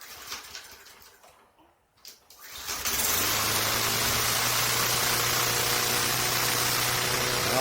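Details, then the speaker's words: Craftsman 11A-A2T2793 (M110) push mower, no primer or choke, first cold start of the season after service and refurbished spark plug; starts on two pulls and runs smooth and steady with no surging or missing; normal cold start. "2 pulls. Sounds good. Smooth. No surging or missing."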